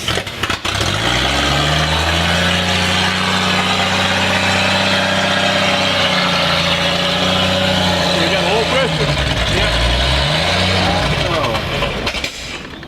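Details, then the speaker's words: 1959 Chevy Apache that sat over 40 years, fed hand-poured fuel that sprays over the firewall: it cranks, catches and runs roughly with wavering revs, then dies. The owner suspects it needs a constant fuel flow. "but it just ain't gonna do it well i think it might do it with uh maybe some you had some constant flow of gas to it i can't believe it fired up"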